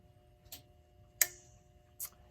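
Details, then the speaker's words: Ingraham SSD8 electric strike clock from about 1936, after repair and restoration, motor reinstalled and plugged in: clean even ticks about three-quarters of a second apart over faint motor hum; normal running. "and it's running"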